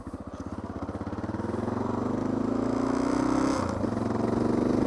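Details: Honda XR650L, little ridden for about four years, fuel coming out somewhere: uneven single-cylinder chuffing rising with revs, ragged stumbles mid-rise, spitting gas and backfiring; owner suspects a stuck float.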